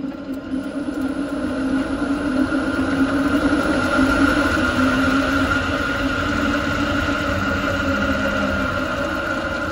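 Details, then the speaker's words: Renault Zoe 5AQ electric drive motor, phone wedged under the closed bonnet: hollow scraping rumble under a steady motor whir, early-stage motor bearing failure, noticeable inside and outside the cabin. "hopefully that audio was quite good and it is that Hollow Rumble that scraping noise"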